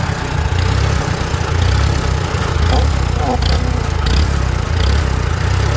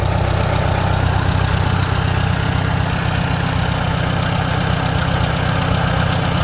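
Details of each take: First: Antique Farmall tractor with new Chinese carburetor, mixture screw one full turn out, choke: low chugging idle that surges and pulses irregularly; owner suspects air leak, lean fuel or poor carb. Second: Antique Farmall tractor on a new Chinese carburetor, mixture screw one full turn out, on choke. Steady, even low idle with a regular beat and no misses, stumbles or knocks, so the mixture is set right. Normal idle.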